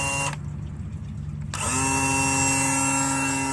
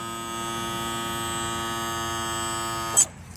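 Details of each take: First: 2000 Johnson 115 outboard, starboard-side engine: electric trim/tilt motor runs with a steady, even whine and hum for about five seconds with no load change, but the leg won't lower. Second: 2000 Johnson 115 outboard trim/tilt motor, the one that had been repaired: steady, even electric hum at constant pitch for about three seconds, then a clean stop; the sound a healthy trim motor should make.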